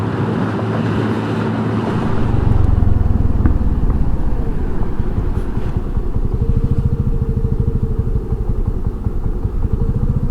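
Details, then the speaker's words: Honda NAVI (NVA110B) motorcycle: idle surging up and down instead of holding steady, slow surge in the putter; idle hunting, owner thinks carburetor air-fuel mixture needs adjusting or re-jetting, though it doesn't smell lean. "Yeah, I don't know if you can hear the idle on this thing, just hunting up and down, up and down, up and down. This is terrible. Got to get this air-fuel mixture straightened out."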